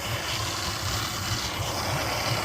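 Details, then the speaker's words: Suzuki 150 outboard, long unused, warming up after first start: quiet steady low burble with soft even pulse under water and wind hiss, no stumble; RPM gauge not reading, batteries faulty; normal idle. "So, we'll just let her run and warm up a little bit. I'll give her a little bit of RPM."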